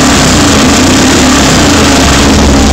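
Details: Rare 500cc Excelsior Manxman single-cylinder motorcycle, first start after extensive rebuild: loud steady running with a deep, even beat and no knocks or rattles, sounding healthy.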